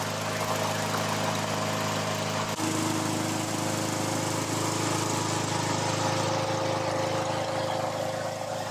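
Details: Honda GCV160 engine on a Troy-Bilt mower, running outdoors after servicing its clogged Keihin carburettor: steady, even engine drone at constant speed with no hunting, surging or misses; running smoothly.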